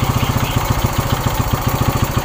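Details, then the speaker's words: Suzuki Shogun 125, cold and at raised idle while being revved to warm up (it dies when hot from lost ignition, suspected weak pulser): coarse, uneven thump at the bottom end; a worn connecting rod needing replacement is suspected. "sebenarnya motor ini suaranya sudah kasar dulur untuk stang pistonnya Kayaknya sudah kena dan harus diganti"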